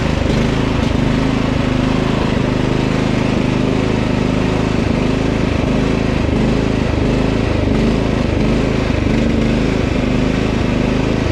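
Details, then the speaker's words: Husqvarna LT1538 riding mower, Kohler CV15 single-cylinder engine with dirt in the carburetor; runs a while then quits. Engine surges/hunts, pitch wavering up and down, suspected fuel starvation from a dirty carb. "sounds like a fuel to me now it started hunting"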